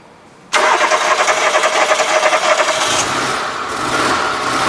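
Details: Engine catches immediately and settles to an uneven, slightly lumpy run with an irregular stumble, a slight misfire; spark plugs and wires suspected, not confirmed.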